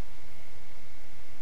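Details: Netgear ProSafe GS748T switch powered on after its stock noisy fan was swapped for a quiet replacement fan: a soft, even hiss with a faint steady high tone and no rattle or pulsing. The fan runs smooth and quiet.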